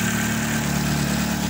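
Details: Chevrolet Celta after water pump replacement (timing belt and its bearing also changed): steady, even idle with a smooth low hum and no rattle or whine. Normal idle.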